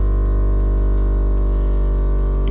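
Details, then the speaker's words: Air suspension compressor on a 1964 Ford Falcon filling from about 80 toward its 120 psi cutoff, with bags taking about 100 psi. A steady, strong low drone with an even buzz and no knocks or rattles shows normal running. "The compressor kicks off at 120. Uh you can get about a hundred in the bags or in the shocks, whatever."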